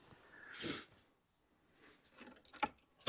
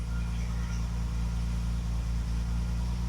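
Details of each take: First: Classic car just fitted with the correct ignition coil replacing a wrong one: silence, then catches after about three seconds into a slightly lumpy idle, a bit smoother than before but still reluctant to start; cause unknown, timing unverified; hard starting and rough running. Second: Classic car after new ignition (correct coil, new contact breakers and condenser, original HT leads): smooth even low hum, steady rhythm, no stumbles, firing on all cylinders, never run that well; normal idle.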